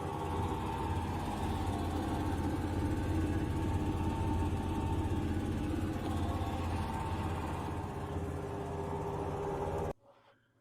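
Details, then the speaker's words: Fisher & Paykel GWL11 washer about 15 years old: loud, steady low grinding roar during spin from failing main drum bearings, before bearing replacement. "urns out that the main bearings eventually do fail no big surprise there so I decided to dig into this"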